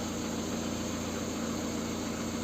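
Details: Lada Kalina 1.5 8-valve petrol, after repair of a burnt track on the engine ECU that caused misfiring, hard cold starts and error codes: smooth, even idle hum, steady low drone, no misses or stumbles; no errors, normal idle.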